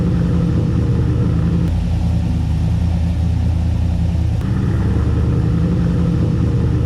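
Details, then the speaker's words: Turbocharged LS-swapped 600 HP Chevy C10 after a larger muffler replaced a too-small one: deep, even V8 rumble with smooth throttle swells, no rasp, ticking or leak puffs. The exhaust is healthy and quieter. "We got the muffler done, and I'm gonna set this up here and start this thing up."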